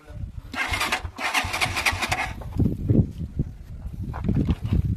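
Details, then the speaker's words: Motorcycle with a weak primary (stator) coil: the engine catches, then sputters with ragged, uneven pulses and dies, as if short of fuel; low current at high RPM, so the coil needs replacing. "andar siya pero namamatay gann talaga yung problema okay alr"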